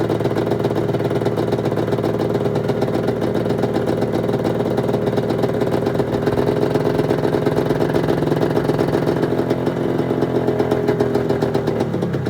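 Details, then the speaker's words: 1996 Arctic Cat ZRT 600 two-stroke snowmobile after fuel pump rebuild and priming: steady crackling idle with a few clean rev rises, even firing with no misses; holding good after air bubbles, normal idle. "Quite a bit of air bubbles coming there for a little while. Seems to be holding good, running"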